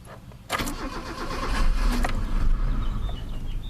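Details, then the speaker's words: Mazda with P1345 no cam position sensor signal, engine hot after about 10 minutes running: starter cranks steadily with a low churning beat but never catches, reproducing the roadside breakdown; points to lost cam sensor signal. "aha that's what I was going through on the side of the road caught you you bastard"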